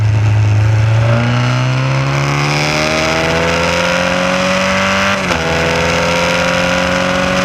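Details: Formula Continental race car: the engine pulls hard as revs climb, then stumbles briefly. The ignition misfire under load comes from a distributor wire picking up pulse signals from the electric fuel pump; the fix is to separate the wires.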